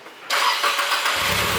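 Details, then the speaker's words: Abandoned Nissan S14 Kouki, first start-up after refilling coolant and before warm-up: short crank, then catches straight away into a steady, even idle; starts effortlessly. "Oh yeah, Starts right up, huh? effortlessly."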